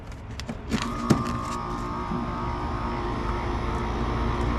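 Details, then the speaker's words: Central Boiler CL 6048 outdoor wood boiler after replacing the failed Taco 009 circulator pump cartridge, water temperature 179: a few early clicks, then a steady, even hum with a clean mid tone; pump runs normally, no leaks. "ladies and gentlemen we're running ladies and gentlemen that sounds pretty good to me no leaks it's tight it's running"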